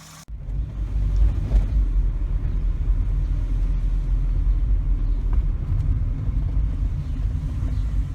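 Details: Volvo 740/240 after replacing the leaking fuel pressure regulator (it had been leaking fuel into its vacuum hose, causing hard starting and rough idle), on a test drive: steady, even low rumble with no stumble, surge or misfire; smooth running.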